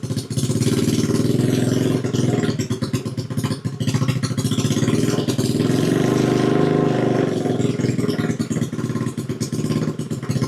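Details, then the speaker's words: Custom Cub-style build with 110cc engine, first start on choke: small single thumping with revs wandering a bit, firing cleanly with no knocks or grinding; runs well, to be left running 15 minutes to bed in cam. "runs runs pretty well. I'll just let that run for 15 minutes or so."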